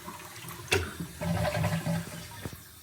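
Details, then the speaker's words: Kohler toilet with a Kohler flush system: after the flush there is a weak, uneven trickle instead of a strong rush of refill water, as water fails to shoot out of the fill valve, giving a very slow tank fill; the fix is replacing the worn fill valve seal. "Hello everybody, I got here is a KOHLER toilet, and when you flush it, it's a very slow fill."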